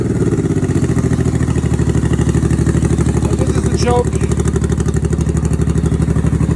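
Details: 1989 Honda Shadow VT1100C bobber with open air filter intake and a new cheap fuel pump, being fine-tuned: strong, even loping thump of the V-twin at steady fast idle, no knocks or misses; runs healthy.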